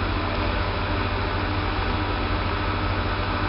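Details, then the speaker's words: Kosmos lathe motor after conversion to three-phase supply; steady even low hum, no knocking, grinding or surging; runs smoother and quieter, starts quickly, motor stays cool to touch; normal. "also the motor runs alot smoother and more quiet now which I doubt you can hear through the microphone but trust me it really runs smoother"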